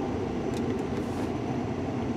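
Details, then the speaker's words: 2004 Mercury Grand Marquis with key on and fan switched off: a constant loud roar of air out the defrost and a little from the floor. The blower is stuck on high, ignoring the dash controller; swapping relays didn't help, and a replacement blower control module fixed it. "So, we got full power fan blowing out the the uh defrost and a little bit out of the floor."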